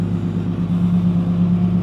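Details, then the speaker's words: Cummins diesel truck with a rebuilt NV5600 manual and a quiet dual-disc clutch, cruising at steady speed: a loud constant whine from the power steering pump, which needs ATF added; the owner may replace the pump. "I need to add some some a TF into this uh power steering pump it sounds terrible I got to fix that"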